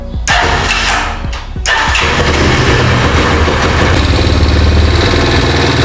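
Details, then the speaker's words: Italika Z-200 motorcycle after the right-side noise was fixed: single-cylinder idles lumpy, firing not regular, revs rising and dropping sharply; uneven idle, carburetor suspected, not confirmed. "Ahora yo lo que oigo aquí y noto es que como que no detona parejo, sino que cae así, no está así como parejita."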